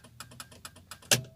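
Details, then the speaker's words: Ford Fiesta Zetec Rocam, right turn signal on: relay chatters in quick uneven clicks about five a second, then a sharp clack, with no dash light or front indicators; faulty turn-signal switch, left side works. "Eu ligo a seta para a direita, aí ele não acende nada no painel e fica o relé fica fazendo esse barulho, ó."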